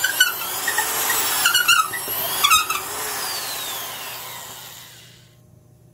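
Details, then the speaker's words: Black & Decker Professional 1309 half-inch drill, 4.5-amp motor at about 600 rpm, boring with a 1-inch auger bit in wood: the whine drops in pitch as it bogs down under load because the motor is underpowered. "you can hear it bogging down almost as much."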